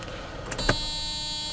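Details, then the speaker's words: 1996 Mercedes S420 with the door closed: a single door thunk, then a steady high electronic key-reminder buzz that continues unchanged. The buzzer should stop when the door closes; the cause is unknown. "see the noise is still there tell telling me that I forgot the key so this is very strange because right now should actually go away when I close the door"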